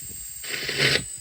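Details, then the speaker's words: Red Witch Zeus bass fuzz octave pedal through an amp at 4–5: a sharp, bright hiss over a steady high whine that rises as a knob is turned past 3 o'clock. The owner suspects the sputter circuit, unconfirmed. "It's only up on like 2 at the moment, so I'll turn it up to 4, 5, and you can hear that hiss. And when I get to 3 o'clock there, you can hear it start getting a bit higher. It gets higher and higher."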